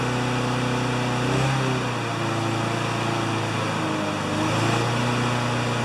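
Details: Honda GCV160 walk-behind mower after the governor arm was bent to adjust it (previously ran about 6,000 or 2,000 rpm): a steady high-speed drone with only slight surges, governed at about 3,589–3,612 rpm by spark-counting tach. The uploader thinks max should be 3,100–3,200.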